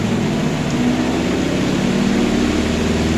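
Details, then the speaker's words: Kuppet 1040603400 portable washing machine on its 5-minute spin after draining, taking off like an airplane. A steady rising motor hum and airy rush. No shaking or rattling; the spin cycle is normal. "Didn't give me any problems. It's not shaking, rattling."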